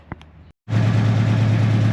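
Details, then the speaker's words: C30 V8 running with cooling set up after the exhaust manifold leak update: it catches after a short silence and settles into a steady, even lope with no knocks or misses; a little water spits off the fan; finding: normal idle. "all right so as you can hear the C30 is running we are uh got cooling set up"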